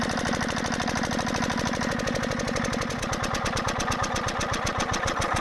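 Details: Field Marshal 5hp single-cylinder diesel engine, new engine with sound problem: fast, uneven thumping with hard clattering knocks each firing, rough; abnormal running noise, cause not confirmed.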